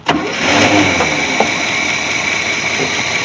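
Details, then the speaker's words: 1981 Chevy C30 dually after sitting 10 years, restart to build heat: catches on the first turn and settles to a steady idle running pretty smooth, no misses or smoke, with slight lifter noise. "that was too easy sounds like it's got a little bit of lifter noise i could just make it it's been sitting so long running pretty smooth i don't feel any misses it's not puffing any smoke out so those are all good things"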